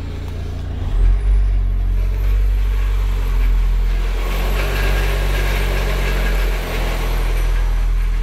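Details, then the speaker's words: VW Transporter van engine with a deep uneven rumble and rattle, heard from left side when throttle applied with clutch released, disappearing when clutch pressed; flywheel noise. "Şu an gaza basıyoruz. Ses geliyor. Sesi herkes [Müzik] duyuyor."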